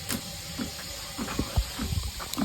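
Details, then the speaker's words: Uni-dose chlorinator pump after replacing the duckbill and priming: soft, deep diaphragm knocks about every half second under a faint hiss; normal operation, with the lines jumping. "you can also hear that deep knocking noise that's the diaphragm so notice how everything is jumping can you see it she's got a jumper that's what we look for so when it's jumping it's working"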